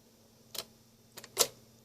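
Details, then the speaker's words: Sony PS-5520 turntable (Dual-style copy), serviced after long storage: quiet hum with light clicks as the tonearm trips at about the right spot at end of play, lifts and swings back; normal return cycle, with lead-in position still needing adjustment. "And then at the end of play actuates at about the right spot. Lifts up, brings back."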